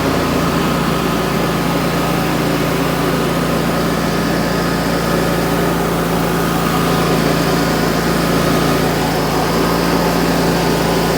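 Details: Wright Stander X stand-on mower, just finished restoration/revival and rewired with a substitute ignition switch, running outdoors: loud steady engine drone holding even speed, no knocking or surging; normal running.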